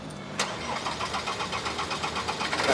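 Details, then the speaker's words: Land Rover Defender Puma 2.4 TDCi diesel after glow plug change, cranking several seconds with even starter churning and regular chuffs before catching and settling; slow start from air in the fuel system after injector O-ring work. "Uh even though they had to turn over the had to crank it a bit. That's a really good sign. So, uh so that was the air."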